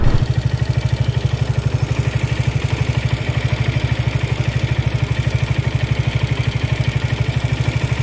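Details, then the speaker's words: Suzuki Gixxer SF 155 motorcycle at idle: hard, even metallic rattle about three per second, growing louder over a week. The rattle was already present before an oil, plug and filter service, and the shop called it normal. Cause unidentified. "una semana lo seguí trayendo así y ahora el cascab Leo la como el tipo sonaja se escucha cada vez"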